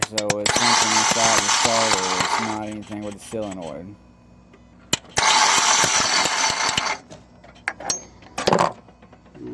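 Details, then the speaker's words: 2004 Mitsubishi Outlander starter, heard from underneath while key is turned: harsh ratcheting grind in bursts with no catch; starter pinion (bendix) teeth broken off. "pretty much something like all the teeth in there are broke off of that starter appendix going out there"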